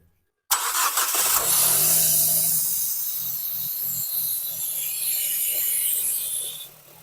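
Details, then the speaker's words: Severely overheated Nissan Evalia engine that seized, now started and revved: a dull, regular low knock about three per second from deep in the bottom end under loud hiss; internal engine knock, cause unknown until the engine is removed and opened. "Suaranya ngerih banget ya. Suara ketukan di bawah mungkin itu kengap atau enggak atau apa ya, kita belum tahu soalnya belum kita buka. Yang pasti ini di bagian dalam mesin ya."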